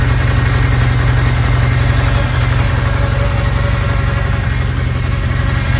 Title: massive vacuum leak on 99. Ford ranger 2.5 July 5, 2024